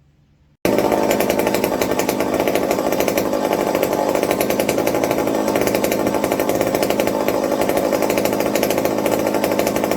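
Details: McCulloch 55 gear-drive chainsaw after fixing fuel starvation with a Scotch-Brite tank wick and a 090 carburetor swap: it catches and holds a strong, even buzz with no stumbles or misses; running well.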